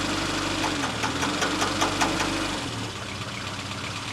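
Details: 1965 Mini Cooper, engine loaded against the clutch and a little brake: busy running with a rapid, fairly even knock about two or three per second, easing as load drops; the noise is also bad when letting the clutch out. Source unclear.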